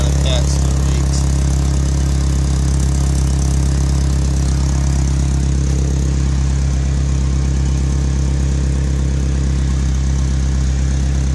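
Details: Toyota truck with an exhaust leak at the top of the header near the cat, temporarily wrapped and patched: a deep, steady idle with a faint rough puffing underneath. A new header is needed. Exhaust leak at idle.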